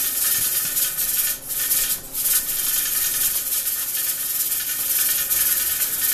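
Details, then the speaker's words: Pressure cooker on stove dyeing puzzle parts, burner at 6: constant hard hiss with fast jittery weight rattle; venting because heat is too high, turned down to 4 to avoid water loss. "that's what it looks like and sounds like when the temperature is a little bit too high and it's venting."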